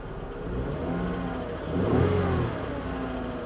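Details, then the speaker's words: Salvage car, likely sat a long time, AC on then off: revs and settles with a faint light ticking under the exhaust note, suspected lifter noise; better than before but still present, cause unconfirmed. "that engine is still making some noise though let's turn off the ac it sounds a lot better than it did but there's still some noise hear those lifters"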